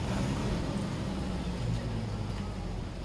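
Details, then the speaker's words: Toyota Avanza/Innova road test after replacing dry propeller shaft spider kit (cross joint) that caused ticking when throttle released in first gear: steady low road and engine rumble, no squeak; noise fixed. "Oh memang bener-bener terselesaikan ya guys ya jadi temen-temen bunyi tadi disebabkan karena spiderkid atau silang 4"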